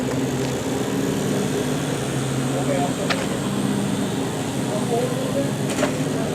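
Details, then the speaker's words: Jazzy 600 power chair, two drive motors, recorded indoors: steady low motor hum with faint ticks; motors on the loud end, getting better, owner suspects they need breaking in. "some motors are real quiet and some are louder and this is on the upper end of being loud"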